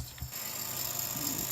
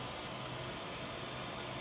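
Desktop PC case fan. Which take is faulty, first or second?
first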